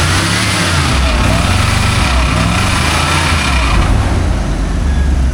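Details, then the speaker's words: Old Dodge 1-ton 4x4 crew cab, no brakes: loud, rough V8 idle with a rapid slapping rattle that follows engine speed. The fan is heard hitting something; what it hits is unknown. "Is that the fan making that noise? Yeah, the fan is hitting something. I don't know what it's hitting."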